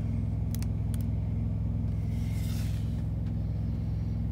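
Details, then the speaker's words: 2009 Mack CX613 MP8 truck, Carrier APU with 10,000 hours, truck engine shut off, set to heat: steady, even low diesel thrum with a fast regular pulse, no knocks; APU idling normally. "okay so you can probably hear the APU running now"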